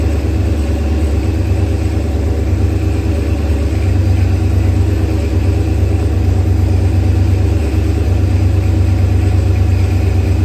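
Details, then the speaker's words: Procharged LS engine with 12-1 crank trigger wheel and 1X cam sensor, first start; loud, lumpy low idle with uneven beat near three per second; ignition timing at 35 degrees instead of 28, over-advanced, sensor settings to be changed. "on the the ignition timing on the motor was 35 degrees and it was supposed to be on 28 so we gotta we gotta just figure that out"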